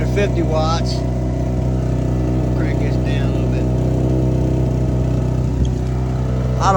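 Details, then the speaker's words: Repaired small two-stroke Chinese generator (1000 W peak, 850 W rated) charging homemade batteries via power supply, about 10 A out: deep, steady drone at constant speed, no surging, misses or knocks; carries load smoothly. "okay so in an emergency scenario I could get 900 watts out of that with the right charger to get me out of trouble"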